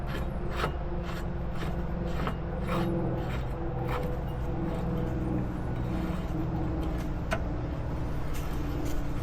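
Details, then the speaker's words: Roughly 20-year-old Exmark Metro 36 mower after replacing the worn, loud blade spindle with an aftermarket assembly, torqued to 75–80 ft-lb: steady low even drone, no noise, binding or grinding, sounds brand new. Normal spindle running. "Once you have this torque down to 75 to 80 foot-pounds, there should be no noise, no binding, no grinding, nothing. It should sound brand new, which it does."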